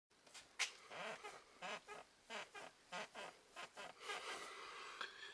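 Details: Ford Focus 3 at 1,523 km: sharp, creaky squeaks in quick bursts, about two a second, as weight shifts in the driver's seat. A driver's seat squeak, source not yet found.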